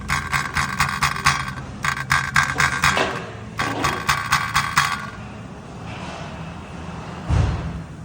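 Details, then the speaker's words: Dodge Caravan engine: quick metallic rattle, three to four bursts a second, from the flex plate (flywheel) cracked in two places. "This Dodge Caravan was rattling sound when we check. The flywheel was cracked."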